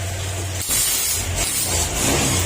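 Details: Brand-new Honda Click 125 V3 that had no pulling power, after fuel pump converted to Click 125 part: engine rises sharply from low hum to strong even rev, no misses or stumbling; pulls healthily.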